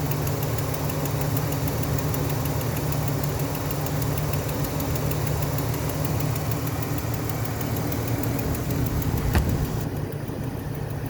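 Engine idling steadily with a faint, fast clicking over the hum; the source of the click isn't clear from listening alone.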